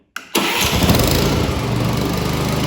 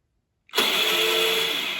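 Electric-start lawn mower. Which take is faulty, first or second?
second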